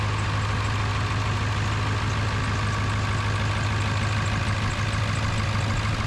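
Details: Ford 7.3 Powerstroke diesel after new KC turbo, MBRP exhaust, up pipes, Irate plenums, oil crossover kit and fuel bowl reseal: deep steady rumble with even unbroken beat, no knocks or misses; healthy idle.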